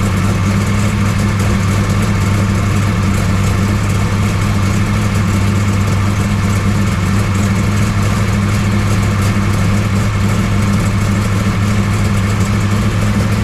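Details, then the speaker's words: 1969 Camaro pro street V8 after Holley carburetor rebuild, first cold start; steady, even deep idle with low rumble, no knocks, misses or hunting; runs pretty good, timing suspected retarded and about to be checked. "Runs pretty good."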